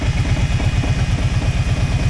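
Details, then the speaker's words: Kawasaki 650 Prairie (Brute Force) ATV with an overheating problem, idling with the radiator fan switch wires jumpered so the relay runs the fan: steady low engine putter with an even airy rush over it. Fan and relay working normally. "it sends a signal to a relay and it turns the fan on you can hear the fan running now it's actually moving"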